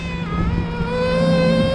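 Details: Rooftop package HVAC unit reported for a high-pitched squeak: a steady high whistle near 550 Hz over a low hum as air is sucked through the economizer seam; not enough air reaching the return, and the noise stopped once the blower compartment was opened.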